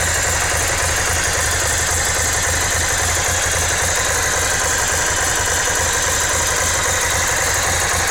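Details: Ducati Monster S2R 1000 at idle: loose, uneven tapping at about four per second over a rattly idle; odd engine noise, cause not identified.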